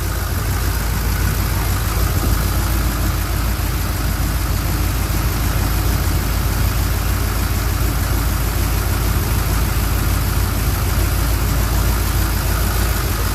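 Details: 1967 Chevrolet C10 pickup V8 at first start after a camshaft change, idle turned up, radiator just filled: deep, steady, even idle with a consistent loping pulse and no knocks or ticks; engine sounds healthy.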